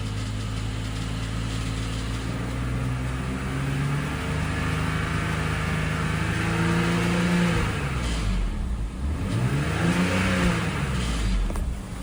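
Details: BMW X5 E53, M54 3.0i, slightly warmed: revs rise and fall with faint metallic knock under the note near 2000 rpm, camera lowered toward engine; cracked torque converter flexplate.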